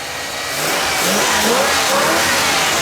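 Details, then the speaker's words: Bullnose Ford just after first start on new carb (EFI-to-carb swap), still cold, running 2-stroke gas from a small tank: revs climb cleanly from idle and hold smooth without popping or backfiring; good throttle response, running normally. "It's starting to run really good. Hey, good throttle response for however long it was running there."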